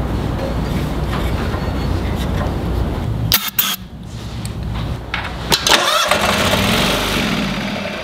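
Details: Toro Wheel Horse 522xi lawn tractor that ran when parked four months ago: starter churns engine at about four turns a second with uneven bursts and pauses but never catches; fuel pump suspected, not confirmed.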